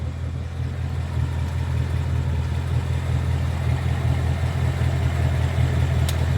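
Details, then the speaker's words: 2022 Mustang GT Coyote V8 at idle, just after an oil change and before adding Liqui Moly Ceratec. A faint, quick top-end tick (the "barbecue tick") rides over the steady rumble. "I mentioned showing you the barbecue tick before adding the Ceratec. So this is directly before me adding it. I just got home from the oil change, and here is the sound."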